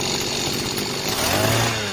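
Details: Mitsubishi gas-powered brush-cutter two-stroke engine, just overhauled after running short of oil, with a new spark plug, on its first test start. It buzzes crisply and climbs cleanly with throttle, then settles to a held idle; responsive, healthy running.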